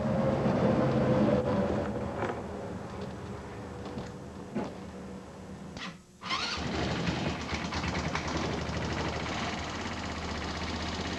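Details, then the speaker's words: GY6 scooter engine, after losing power at about 50 mph; valves adjusted (one was very tight): loud, even tapping about four a second at idle, seeming to come from the lower motor; owner suspects rod knock, unconfirmed. "A large tapping sound. I adjusted the valves. Uh, the intake or the exhaust valve was super tight, but now the after adjustment."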